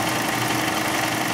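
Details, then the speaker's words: Chrysler 300 with no A/C, compressor jumped on with a jumper wire at idle: harsh, rough knocking churn; compressor works, pulling low side to about 45 and high side near 200, but sounds badly worn. "man that compressor sounds terrible all right so at least we know the compressor works"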